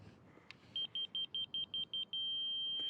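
Seven quick high beeps, about two a second, then one unbroken high tone: the receiver is sitting right on grade.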